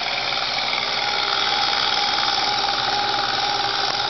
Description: lexus is300 weird noise from engine bay